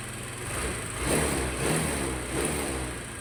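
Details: Honda Vario carburettor scooter, piston and oil pump replaced three months earlier, rough again: after reassembly, running cooler but a light steady tick/clatter remains from a scored piston, with visible smoke. Piston slap.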